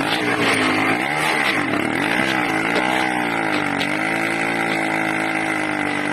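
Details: 80cc two-stroke engine, loud and buzzy, pitch wandering up and down without settling, hunting and surging erratically; owner suspects a carburetor problem with a leak at the intake manifold, not confirmed.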